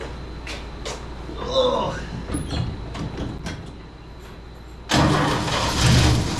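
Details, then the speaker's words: 1963 Chevrolet C10 with a new carburetor after previous flooding: a few clunks, then the engine fires quickly and settles into a slightly uneven idle; no leaks seen, throttle/idle needs adjusting up. "a she runs she needs a little adjusting I think the old door gasket just bit I don't see nothing leaking all right let's adjust the throttle up a little bit she should be good to go"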